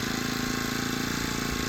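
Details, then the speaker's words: New HTP power sprayer, 4-stroke 35cc petrol engine, started once throttle was lowered (failed to start with high throttle); ticking over evenly at low throttle with steady light exhaust patter, no knocks — normal low-throttle running. "Throttle ಕಮ್ಮಿ ಮಾಡಿದ್ರೆ ಸರಿಯಾಗುತ್ತೆ. ನೋಡಿ, ಈಗ start ಆಯಿತು. ಯಾವಾಗಲೂ throttle ಕಮ್ಮಿನೇ ಇರಬೇಕು."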